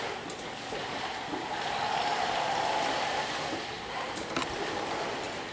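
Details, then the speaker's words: Action Trackchair left-side drive motor: a rough, gritty grind swells while turning, with hesitation and the motor locking up, yet no error shows on the screen; an internal motor fault. "And you can see as I drive this chair and listen to when I turn, you can hear the left side motor is making kind of a funny grinding noise."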